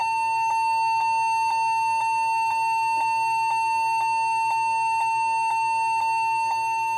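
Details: Lenovo G40-80 (80KY) laptop giving an unbroken steady high-pitched long beep with a faint flutter about twice a second; memory suspected, keyboard or hard drive also considered, not confirmed.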